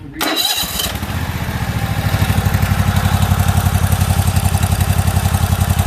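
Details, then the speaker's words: About a year old commercial Toro zero-turn mower, twin engine, new spark plugs, riding and cutting: it runs but backfires, with an uneven, lumpy pulse about four beats a second as one cylinder skips; compression and valve clearance were later found good. "well it runs and cuts you hear the back car I do here it is back fire"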